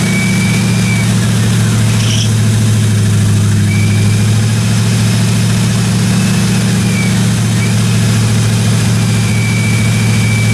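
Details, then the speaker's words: 1957 Chevy 210 project car, carbureted engine idling during roughly 20-minute cam break-in run: steady, even idle, smooth low drone, no ticking, tapping or other weird noises from the valve train; normal idle. "uh sounded good I ran it for about 20 minutes got the cam broken everything sounded good in the the valve train"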